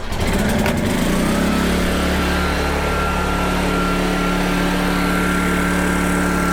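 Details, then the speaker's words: PowerTrain 900 W generator after new fuel lines and carb work, carrying an electrical load thought to be about 400–500 W; engine note drops when loaded, then steady even drone with no hunting or misfires; checking near 60 Hz: normal running under load. "obviously when i've heard load on it you heard the engine change so i want to see how much it drops"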